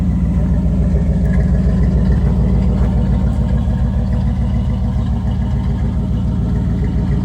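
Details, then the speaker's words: 1985 Pontiac Trans Am V8 tuned port, out of storage on a cold day, not yet at operating temperature: deep, even rumble with a steady beat, no knocks or rattles, a little on the loud side. Healthy engine running. "Yeah, it's not a bad sounding car. It's a little on the loud side."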